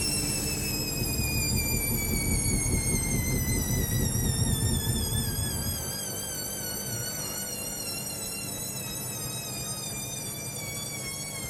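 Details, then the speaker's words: Hoover Link Whites 90 Aqua Plus washing machine, full heavy load of wet rags and sheets, 400 rpm interim spin: motor whine climbs then sinks over a rough rumble; spin aborted as the load is very unbalanced. "Jesus, I've never seen it do a spin like that. It's normally really fussy. Really fussy."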